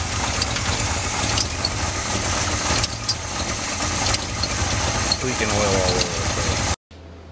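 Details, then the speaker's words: Freshly assembled Chevy 283 V8 on an engine stand: uneven, lumpy beat under loud clatter until it cuts; rough at first until oil arrives, owner suspects sticky lifters or slack pushrod. Rough running. "we fire it up and it runs like crap for a little bit but after a bit we start getting oil here so I'm wondering if it ain't just the lifters ain't sticky a little slack b a push rod"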